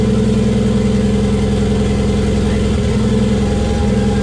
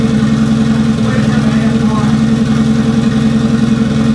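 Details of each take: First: Toyota 1JZ in a Datsun 280Z on first start with a hand-built ECU base map: steady, fast idle with an even exhaust note that never settles lower; kind of high idle, exact RPM unknown. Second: Toyota 1JZ straight-six in a Datsun 280Z after tune and O2 sensor modifications: steady, even engine note with a firm low hum, no misses or knocks; running smoothly, quite a bit better than first start.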